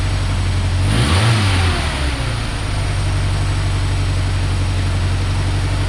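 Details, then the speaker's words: 1990 Ford Ranger with a reman long block: revs blipped, then drops back to a lumpy idle that never smooths out, a little better but not right; PCV vacuum line left off the throttle body caused a massive vacuum leak. "I had forgotten the vacuum line for the PCB off the bottom of the throttle body so it had a massive vacuum leak so let's see how it runs now"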